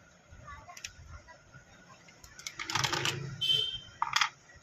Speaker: दोस्तों, ये देखिए दोस्तों, इसकी बीप सुनाई दे रही होगी, ये फ्यूज़ ठीक है।